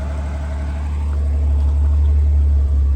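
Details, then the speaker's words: 1965 Chevrolet Corvair Monza convertible, low-mileage survivor, 140 hp flat-six (reportedly rebuilt), dual exhaust: steady even low rumble, no knocks, misses or ticks, no smoke; normal idle. "There she is. Nice running 140 horsepower engine. Dual exhaust on these cars, no smoke."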